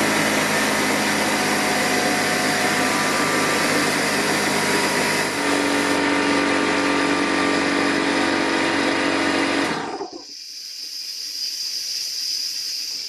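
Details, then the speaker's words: Old Craftsman air compressor (Porter Cable type) pressurizing: loud steady motor drone, then after shutoff a thin continuous high hiss; air leaking from the compressor pump. "so as you can see air is escaping so we'll open it up and see what we can find"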